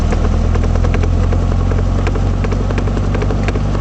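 Heavy rumbling drive with repeated sharp knocks from the rear that keep pace with the wheels; points to a failed axle universal joint.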